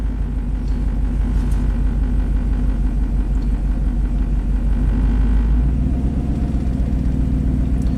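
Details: 2003 Chevy Silverado 3500 dually dump truck, 6.0L gas Vortec V8, 40k miles: deep idle with an uneven, stumbling lope, about three dips a second. Misfire counts rise on cylinders 1 and 8, though that doesn't mean both misfire.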